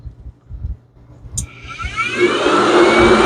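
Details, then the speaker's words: Yamaha YXZ1000R UTV radiator cooling fans forced on by a DIY override switch grounding the fan wire, engine cold at 71 degrees; sharp relay click, then smooth whoosh rising and holding steady as fans spin up, running normally. "so if I want to override them that's the fan override very simple"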